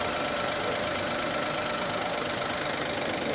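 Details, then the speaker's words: Suzuki Cultus 1000cc automatic idling in the workshop with the AC and fan switched off, so only the engine is heard; an even, steady idle with a constant low hum and no knock or vibration, running smoothly. "अभी AC बंद हो गया, fan बंद हो गया, ठीक है। अब ये टोटल आवाज़ है गाड़ी की,"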